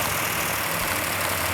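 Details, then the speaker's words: Freshly built V8 in 1969 Charger Daytona at first start, rpm held up for cam break-in: steady fast idle, smooth and even with light valvetrain chatter; normal. "going to hold the rpm up so the can can break in"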